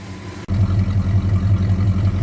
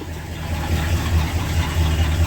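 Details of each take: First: 1968 Ford XL convertible, stock two-barrel 390 V8 with mild stock cam, after exhaust manifold repair: deep, even burble at idle after startup, steady lope with no ticking or puffing from manifold; sounds healthy. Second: 1968 Ford XL convertible, cold idle after about three years sitting: fast, uneven puffing tick over low rumble from a badly leaking exhaust manifold on one side, later found warped.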